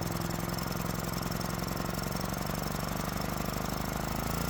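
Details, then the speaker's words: Generac generator repaired after catching fire from starting ether, started within three pulls: small single settles into an even, rapid thump with steady beat, no misses or rattles; normal running. "And with it running smoothly, that can only mean one thing."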